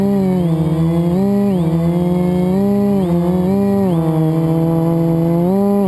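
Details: FPV quad flown with a bad motor bearing, before it was oiled and replaced with a spare; buzzy motor whine rising and falling with throttle, gritty rough edge; quad twisted on full throttle; worn motor bearing.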